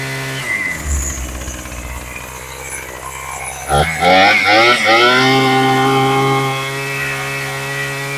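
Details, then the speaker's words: Craftsman 27cc two-stroke string trimmer after carb rebuild, new fuel lines and high/low needle adjustment: catches, revs crisply, then settles into steady, even idle without stumbling; normal idle and revving. "All right, that sounds pretty good. Took a little bit of fiddling, working it a little bit in and out for the idle between, you know, I'm opening this up a little bit to get a little bit more fuel, and then I'm adjusting the idle once I get it to a good level there."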